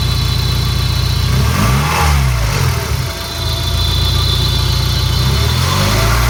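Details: Peugeot 306 GTi-6 idling with a couple of blips: rattly metallic edge and faint screech over the idle; source unknown.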